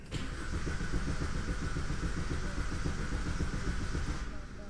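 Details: 2005 Vauxhall Combo B diesel van: steady even cranking about four turns a second that never catches; cranks but won't start.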